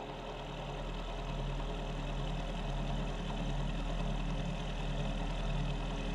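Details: Mill spindle after repair, cutting at 1 mil depth of cut with a possibly dull cutter: steady, even low hum with no chatter, squeal or grinding, much better than before repair at the same depth; normal cutting.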